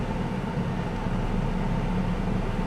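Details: 1998 Chevrolet S10, Vortec 4.3 V6, warm idle after intake gasket replacement and new coil, coolant refilled: smooth, even low rumble with steady rhythm and no knocks or misses; runs cooler than before, owner suspects the old thermostat was sticking.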